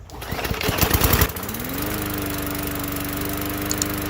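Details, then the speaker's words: Bolens lawn mower after a partial carburetor cleaning: a brief starting clatter, then a steady, even drone with no misses or surging. Earlier trouble was blamed on the poor carb cleaning. "that sounds pretty good um i'm pretty sure it was just uh my crappy carb cleaning thing"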